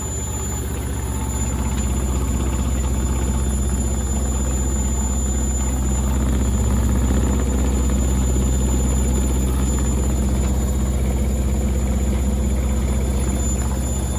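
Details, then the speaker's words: Candy Grand O Vita GV139D3 9 kg washer, 14-minute rapid test wash, final high-speed spin with water still draining: deep even hum and rapid throb, the machine moving 5–10 mm with no knocking or grinding. Normal spin. "Faster again. Still got water coming out. Oh, it's got a good vibration going on now."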